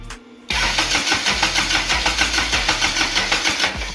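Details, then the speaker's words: Lotus-engined Toyota Hilux swap, first runs, TPS possibly unhooked: fires after a short crank, then runs with a lumpy surge about three times a second, spraying, pulleys wobbling; misfiring, cause unconfirmed. "Dude, this is so wobbly. It's spraying. Oh, that's pretty bad. Yeah. Alright. Well, at least she's starting. We just gotta fine tune some things."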